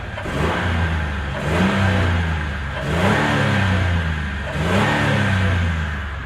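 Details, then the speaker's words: 2001 Ford F-150 4.2L with bank 1 rich (-15%) and bank 2 lean (+10%), cats replaced: three throttle blips rise and fall freely, no choked or wheezing note; exhaust sounds unrestricted. "just kind of kind of listening for a like a sound and I didn't really hear that and it ran okay on the drive to do the back pressure test."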